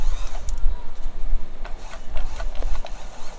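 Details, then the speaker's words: Stuck Kenmore multi-stitch sewing machine run on foot pedal: motor drones low and uneven with surging chatter; belt slipping because the mechanism is very hard to turn, belt itself not broken. "i can hear the motor turning and the belt slipping why because the belt can only do so much and this is really hard to turn"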